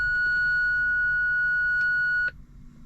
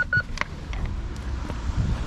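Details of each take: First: BMW E46 320Ci coupe park-distance control (PDC) fault, engaging reverse: a steady unbroken high beep for about two seconds then cutoff, the system's fault warning rather than a distance pulse; fixed by replacing sensors. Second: BMW E46 320ci coupe after parking sensor replacement and bumper trim refit: a few short clear high beeps, likely because the camera is close to the sensor; normal parking sensor warning.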